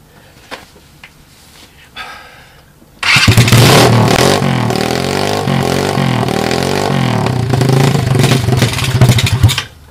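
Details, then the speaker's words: 2007 SSR pit bike with a new $25 eBay carb, running on choke: the small single revs raggedly and sags, leaning out and stalling at idle. It restarts with throttle or starting fluid, and an intake vacuum leak is suspected. "when I let it idle down it likes to stall then if I give it some fuel or give it some give it a little hoot of starting fluid she'll fire right back up"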